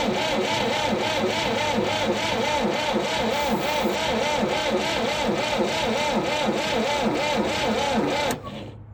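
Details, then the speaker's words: Late-1960s/early-1970s Massey Ferguson 2200 forklift, Perkins 3-cylinder gas engine, sat 23 years: labored, uneven starter churn about three beats a second, never catching. A seized water pump was dragging the starter. "it looks like our water pump just decided to start turning. I think that was dragging our starter down a lot more than we realized, because it started turning over a lot faster."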